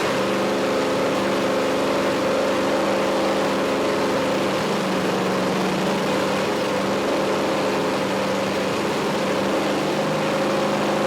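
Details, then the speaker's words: 5.3L LS truck engine on MegaSquirt MS2 with new IAC control and a ProComp cam: steady raised drone, idle stuck high despite IAC adjustment, owner suspects a vacuum leak; high idle speed. "i played with the idle air control it didn't seem to make much effect it's still running way up high in the rpms"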